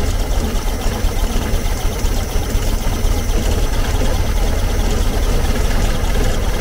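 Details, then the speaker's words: 1970s VW Type 2 Camper air-cooled engine, sluggish and down on power, during carb adjustment: deep, uneven lumpy idle with irregular misfiring beats; rough idle, vacuum leak suspected, points not yet adjusted. "you're still running like a pig"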